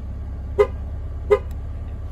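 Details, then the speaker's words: On a 2012-or-newer GM/Chevy (Impala), two short horn chirps over a low idle after the TPMS tool is held at the left rear sensor, the last one, confirm the relearn is complete and all sensors are learned. "after this one you'll hear two beeps and that's when you know you're done and the car has learned all the sensors"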